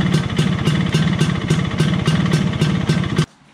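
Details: 1983 Vespa PX125E first start after full restoration, rebuilt engine with new crankshaft, 177cc cylinder kit, bearings, clutch discs: crisp even two-stroke idle popping about 220 beats a minute, clean until switched off; healthy.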